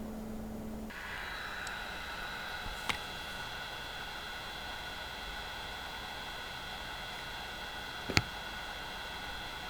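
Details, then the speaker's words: Opus BT-C3100 v2.2 battery charger with stock cooling, discharging at 1 A: small fan gives a steady airy hiss and thin constant whine, annoyingly loud; the charger soon overheated and cut the load. "зарядні пристрої розташовані по рівню шуму на першому місці у нас опуск такий надокучливий шум він Дуже заважає спати"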